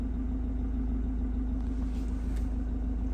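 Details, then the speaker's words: Land Rover Defender 110 Puma diesel idling after the gear stick was repacked with grease and its weights resecured: smooth, even idle with steady low hum, no gear lever rattle. "Really quiet now. Excellent."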